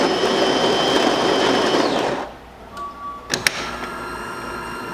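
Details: Delonghi Magnifica after tune-up (lower brew unit replaced, descaled, upper brew unit gasket replaced, screen cleaned): grinding stops, then steady light motor hum and a click as the brew unit drives into place for a double espresso; sounds healthy.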